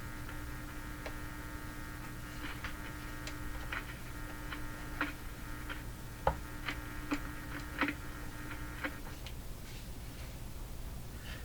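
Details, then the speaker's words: Philco 42-322 tube radio, volume turned up high: low steady hum from the speaker with scattered clicks; hum source not yet known, and later found to be intermittent, apparently needing the volume control cleaned. "I know it's the hum is back the hum I got the volume up pretty high oh more hum at a lower"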